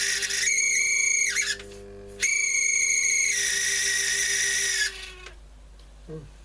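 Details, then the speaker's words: Telefunken Magnetophon 95 West German tape recorder on the bench, testing the speed control; shrill chirpy high squeal riding over the running transport in bursts, likened to a budgie on heat. Squeal, cause unclear. "Dear, oh dear. It's like a budgie on heat, doesn't it?"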